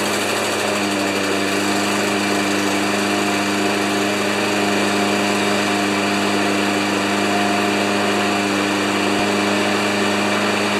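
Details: Craftsman Eco Plus 190cc single-cylinder mower, after a hard-impact repair: holds a steady buzzing drone at constant speed with no knocks or surges. Running normally.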